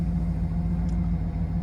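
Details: 2007 Cadillac Escalade V8 after a no-start, no-crank problem, now firing right up: steady, even low idle rumble with no knocks, misses or surges. Owner suspected battery cables or grounds; some suggested the BCM.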